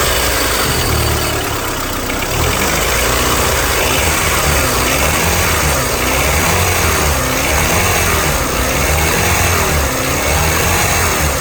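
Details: 2001–2005 Honda Civic LX, strange engine noise when accelerating: busy running engine with a steady chattering rattle and thin high whine; failed, worn-out timing belt tensioner.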